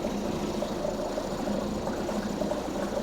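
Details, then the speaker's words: 2004 Mercury 2.5 hp two-stroke outboard, unwinterized after six months' storage, lanyard pushed fully on: starts about first pull, steady even buzz on choke with regular firing, no misses, knocks or hunting; healthy. "All right, let's give it a whirl. Ah, whoa, whoa, hey. She's a runner."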